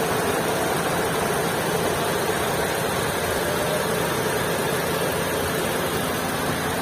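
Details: 2022 Maruti Suzuki Swift at idle with a steady, loud, hiss-laden drone over a dull heavy rumble; abnormal heavy engine noise, cause unclear.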